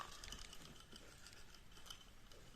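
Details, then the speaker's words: Used carbon-body Shimano spinning reel, about size 5000, cranked by hand: rough uneven ratcheting grind with scratchy clicks every turn; stiff noisy internals, needs internal cleaning or inspection, cause unknown. "แล้วก็หมุนมีเสียงแบบนี้ก็ขายเลยแล้วกันครับ"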